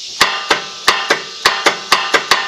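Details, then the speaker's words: Wright Stander ZK61 mower with Kawasaki FX850V engine, turning the key: about nine sharp, solid clicks in under three seconds, no cranking; solenoid pulls in hard but starter motor has failed, to be replaced. "you can hear the solenoid hits good and hard but it doesn't crank"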